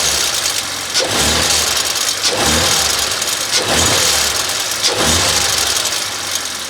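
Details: Audi RS5, cold-start idle, mic near engine: loud metallic rattle swelling roughly every second from turbo wastegate linkage; actuator replacement considered, options are upgraded turbos or back to OEM.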